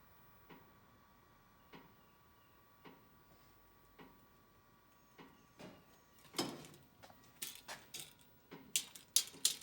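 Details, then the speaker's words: 2021 John Deere 1025R tractor, attachment on 3-point hitch, open rate-of-drop valve during drop test: faint ticks about once a second then louder uneven clicks from hitch hydraulics; hitch hops every 10–12 seconds, source unclear. "I don't know if you can hear that ticking."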